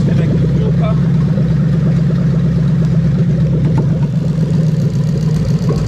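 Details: Lexus LS430 3UZ-FE VVT-i V8 on a test run with a new engine harness, zero codes: steady, even low rumble with no misses, knocks or ticks; a smooth, healthy idle.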